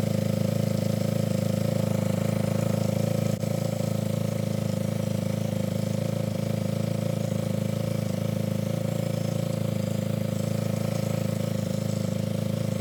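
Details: Yamaha ATV single-cylinder engine idling after carburetor cleaning and about four float adjustments, clearing leftover WD-40: smooth, regular low thumping with no stumbling or hunting. Clean idle.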